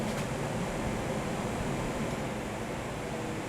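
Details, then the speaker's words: 1975 Corvette C3 heater blower after high-speed relay check: steady, even rush of air with no ticking, rubbing or squeal as the blower runs; high-speed fan had been inoperative while lower speeds worked, now working normally. "the high speed fan is working i can hear it i can even feel it pulling air in"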